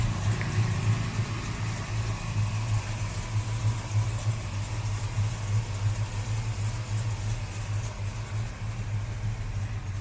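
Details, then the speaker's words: 1973 Dodge Charger V8 at inspection, started without touching the accelerator: steady, even, smooth low idle rumble with no misses, ticks or knocks; healthy engine. "Elle a démarré impeccable. Et elle a ce joli son bien à un contour, faut le signaler aussi. Elle a un bruit fantastique."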